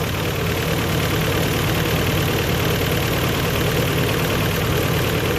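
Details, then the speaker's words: Toyota 22RE engine with new timing chain and water pump, not started for 3-4 weeks, needed throttle to start: ragged, shaky idle with uneven stumbling beat; obvious misfire, bogs when floored and won't rev, cause unconfirmed. "That'll idle. But it's shaking like crazy. Obviously there's a miss in it."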